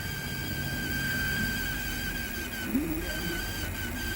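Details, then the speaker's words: Toshiba KV-4000 V-Cord VCR reel motor: a thin, steady high squeal "like a dying pig" over the motor hum while the VCR can't rewind; the owner suspects a slipping idler belt lacking torque, or possibly a dry motor shaft, unconfirmed until the belt is changed. "you hear that squealing that that is squealing like a dying pig that's that's not great"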